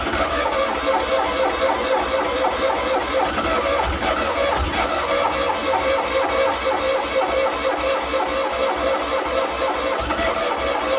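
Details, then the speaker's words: Fiat 126 off the road 10 years, borrowed battery, fuel poured down the carb as it isn't drawing from the tank with old fuel lines and filter. Steady slow cranking, brief uneven running, then dies from running out of fuel. "okay so there was a success the engine ran albeit not for long we did run out of fuel in the end"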